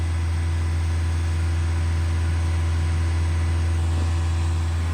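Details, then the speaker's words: Mahindra XUV700 BS6 diesel during parked DPF regeneration, held at 2500 rpm for several minutes, heard from behind the car with very hot exhaust air: steady deep drone, no knocks or misses; normal high idle. "इतनी दूर से इतनी आवाज़ आ रही है 2500 RPM में, जब diesel engine drive होता है XUV 700 का।"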